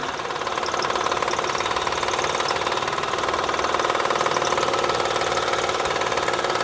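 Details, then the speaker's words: 2007 Honda Odyssey Touring 3.5 at idle, wheel removed: fast, busy ticking of about three per second. Suspected as the timing belt tensioner and later confirmed; the tensioner and timing belt were replaced. "se escucha seguramente es el tensor de la banda el que está provocando ese ruido"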